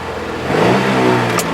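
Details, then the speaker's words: Holden Commodore ute automatic selected in reverse: engine revs freely with whirring rise and fall, nothing taking up drive, horrible noises from gearbox; blown transmission, no reverse. "I don't know if you guys can hear it but there's all sorts of horrible noises coming from this box"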